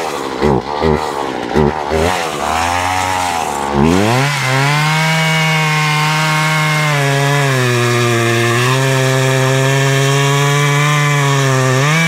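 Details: Poulan Pro two-stroke chainsaw, about 12 years old, after a season clean-up, felling a tree. Rough idle blips, then a clean climb to a steady high buzz that holds even under load, with a popping sound: running healthy.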